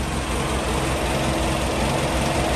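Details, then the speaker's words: Toyota 3TC with a newly installed gear drive, carbureted, first cold start on a cold day with no throttle pumps: steady, even cold idle with a smooth low drone, no gear whine or rattle yet; normal. "oh started yeah that's uh that's a cold start it's a cold outside um so I sort of part of the gears but right now I don't hear anything"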